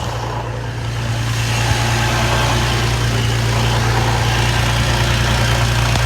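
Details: G35 at idle, noise from under the car that started after the idler pulley was deleted: a fast, light chatter tracking engine speed; owner suspects the throwout bearing; a shop found timing, tensioners and cylinders fine; cause unconfirmed.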